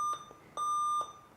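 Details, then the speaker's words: Alienware Area 51 laptop with new motherboard switches on then emits 3-2-1 beep code with matching lights; steady high-pitched electronic beeps; online research suggested a failed graphics card (RTX 2080 possibly damaged by previous repairers). "i was left with a laptop that would just switch on and then the beeping light code will just appear so the beeping code was a three 3-2-1 beeping code with matching lights"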